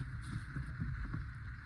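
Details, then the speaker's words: Renault Kwid after replacing the clutch cable, whose worn lubricating sleeve caused the noise: steady low engine rumble and soft pedal bumps with no squeak or creak, clutch now freer. "நாய்ஸும் இல்லை கிளச்சும் ஓரளவுக்கு free ஆகிடுச்சு பாருங்கள்."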